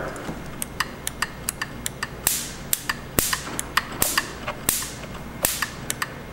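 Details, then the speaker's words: Harley-Davidson golf cart, barn find, ignition points actuated by hand with the coil powered: crisp snapping ticks every half second or so, a sharp spark crack each time the points open, so the coil fires normally. "think you can hear it I think you can see it too it's me actuating the points manually so if I spun it over now we'd have spark"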